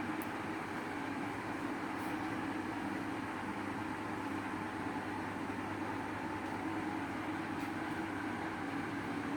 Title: usha fan making noise